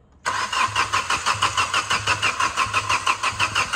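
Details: Diesel engine hydrolocked after flood water, water removed, being cranked while injector lines are bled one by one with an 18 mm wrench: steady starter cranking with even compression pulses about three a second, no firing; air still trapped in the injector lines.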